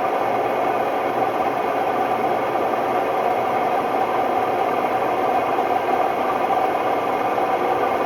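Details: Hotpoint Ultima WMD960 washing machine on high-speed test spin: loud, steady roar with constant hum and no slowing, caused by worn drum bearings.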